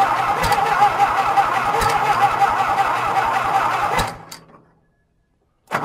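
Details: John Deere, cold, wet winter start after green crud was found: even cranking near three compressions a second for four seconds, then it stops without firing.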